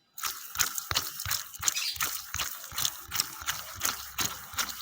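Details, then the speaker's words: Replacement Koyo bearing runs quiet, while the worn tensioner bearing spun by hand gives uneven gritty clicks, about three a second, fading as it slows; it causes a snoring growl from the engine once the car is started. "ini akan terasa sekali pada saat mobil dinyalakan bunyi ngorokokokok gitu"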